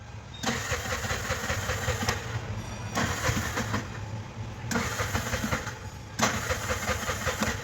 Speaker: bajaj bs6 cng வண்டி வண்டி cng ல ஸ்டார்ட் ஆகலன்னாங்க 37000 km ஓடி இருக்கு 37 ஓடி இருக்கு சிஎன்ஜில ஸ்டார்ட் ஆகல